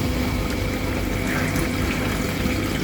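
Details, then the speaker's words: Dishwasher circulation pump after correct-rated capacitor fitted, full cycle: steady motor drone under rushing splashing water; pump running normally. Next day it hummed without turning again; real cause a leaking seal letting water into the motor. "приобретение нужного конденсатора его установки запустил посудомойку на полный цикл от работало как надо"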